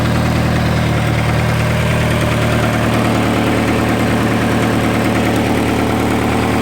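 A quick, light ticking rides over a steady idle, keeping pace with engine speed; source of the tick not pinned down.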